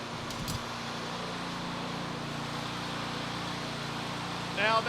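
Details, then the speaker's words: Snowblower with a small single-cylinder engine, after parts were cleaned and reassembled: it holds a steady, even drone with no surging or misses. It is now running normally. "all right so it's running now everything is working we are ready for the snowstorm that's going to hit this weekend"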